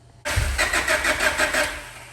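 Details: 1998 Honda Prelude with Jackson Racing supercharger, Crane Cams ignition box and coil, DC Sports header: starter whirs in a quick even beat for about two seconds, engine never fires; cranking no start after ignition rework, owner suspects stuck injectors, not confirmed.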